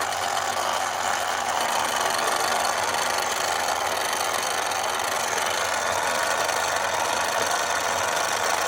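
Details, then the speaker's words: 1960s Remco Tiger Cat toy Jeep gear drive after repair of a damaged gear, on high speed with tension put on the tire: a steady, even whir with no skipping clicks. It pulls strong with good tooth engagement; normal gear drive running. "Sounds good. Doesn't skip. Pulls nice and strong. Feels like I got good tooth engagement."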